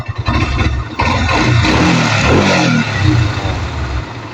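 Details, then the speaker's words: Kawasaki NS150 two-stroke after engine refresh: starts on the button, revs crisply, then settles to a steady idle with no rattles or misfires. It previously stalled when revved from poor carburettor tuning. "Ganda ng andar, oh."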